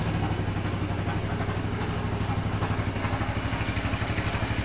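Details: 2007 Suzuki Burgman scooter at idle with rpm where it should be, yet it creeps forward as if pulling from the drivetrain; the idle throbs unevenly about four times a second, rough idle.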